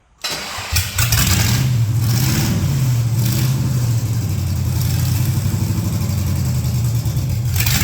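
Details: Project truck with LS swap, after plugging the brake booster and other vacuum lines; V8 fires and settles into a steady rumble, revving cleanly with no stumble or hunting; runs healthy.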